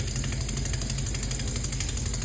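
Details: Under-sink water pump struggling to regulate flow: a loud steady drone with a fast machine-gun rattle, several beats a second, as the pump rapidly hunts and shakes the sink pipes.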